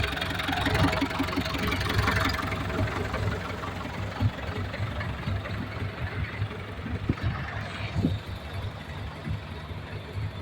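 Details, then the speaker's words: Hino KM 779 farm dump truck, 120 hp diesel, at idle: starts easily, steady even clatter with deep rumble, no smoke, no misses or surging; healthy normal running engine. "เครื่องดีนะครับตัวนี้เป็นเครื่อง120แรงฟังเสียงเครื่องมันติดง่ายชายรถไทยไม่มีไอสบายครับไม่มีฟันไม่มีไอ"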